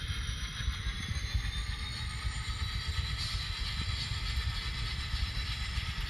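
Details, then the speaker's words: Model train engine running through a KATO turnout treated with No-Ox ID A Special: soft, even motor whir with faint wheel ticking and no stutter or dropouts; runs smoothly where it used to have trouble. "That engine is going through just as smooth as butter."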